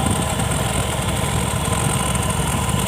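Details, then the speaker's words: Honda Beat Street scooter (2017–2019) test-started after the throttle body was cleaned and the CVT serviced, with the rusted throttle grip still sticking. An even, steady low putter with no misses, knocks or hunting; normal idle. "Oke, ini untuk sementara kita tes dulu hidup. Oke. Oke, normal. Oke, normal, Guys, ya."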